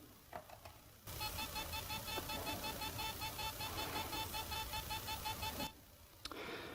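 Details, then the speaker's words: Laptop hard drive, about a year and a half old, in an external case: rapid, even electronic beeping buzz instead of spinning up; owner thinks the read/write head is stuck. "seems that it cannot spin correctly it makes a sound like it's not spinning so I think that the head is stuck"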